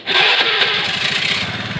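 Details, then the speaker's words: Carbureted Honda Vario with Karisma CDI substituted via 12 V relay, ignition pickup not yet changed: uneven, stumbling idle with irregular firing, not smooth; expected normal once pickup is modified. "Jadi kalau kita dengarkan dalam kondisi belum kita merubah pick up pengapian, nah suaranya ini ginjal ya, enggak halus ya dalam posisi stasioner gi"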